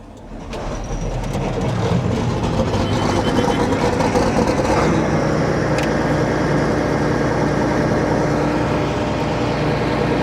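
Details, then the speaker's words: John Deere 9600 combine diesel, cold start, with blue smoke, overfull diesel-smelling oil and a 37E fuel temperature sensor code: rough, lumpy idle with a skipped pulse, missing on one cylinder; the injector was later found completely worn on a test stand. "So, we're definitely missing one cylinder. I don't know if you can hear that."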